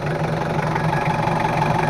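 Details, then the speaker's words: L300/Kuda-type diesel after an engine rebuild with tested nozzles, before adjustment: it idles with a harsh, uneven clatter. The complaint is rough sound, thick smoke and high fuel use; the cause is incorrect injection pump setting and timing. "Hai ini adalah suara mesinnya kalau menurut saya sih enak tapi masih agak terlalu kasar suaranya terlalu agak kasar sedikit menurut saya tapi kalau gagasannya udah enak tapi untuk suaranya masih kasar jadi nanti kita setting dulu"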